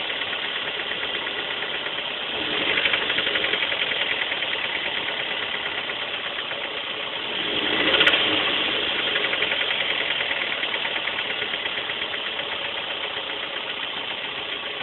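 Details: 2001 Toyota MR2 Spyder, 1ZZ petrol engine, about 107,000 miles, idling with a steady knock that quickens when briefly revved; rod knock suspected, not confirmed.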